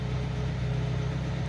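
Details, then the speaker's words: 1950 Pontiac flathead, first start since August, warming up, heard at the rear exhaust: smooth, even low-pitched idle with no knocks or misses; normal healthy idle. "because i just love this idle sound out the back of these flatheads the exhaust sound so i'm just gonna let her warm up a little for you"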